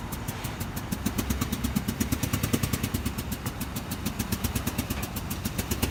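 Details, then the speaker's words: Truck: uneven idle with sharp repeated deep knock from the bottom end; rod knock. "That sucks. You got a rod knock. You got a rod knock in the truck."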